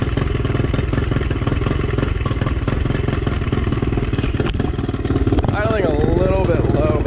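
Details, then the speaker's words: Two-stroke outboard after new zip-tied fuel lines and idle/timing adjustment, idle adjustment maxed out: slow, slightly lazy but even idle that doesn't die; idle speed slightly low, impeller still needs replacing. "I mean this is all the way maxed out I've adjusted [Music] this doesn't die which is good idle's just slightly low"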